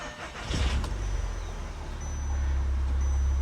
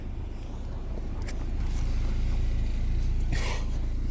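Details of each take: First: Audi TT after cam chain work and a new seal: steady, even low rumble at idle. The idle no longer bounces up and down, there is no vibration felt inside, and it no longer smokes. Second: Audi TT parts car bought with mechanical damage, seemingly running lean: a low, lumpy idle with an uneven pulsing beat of about four per second that stumbles, showing misfires with no check engine light. Fuel rail pressure codes were stored; a weak high-pressure fuel pump or diverter valve is suspected.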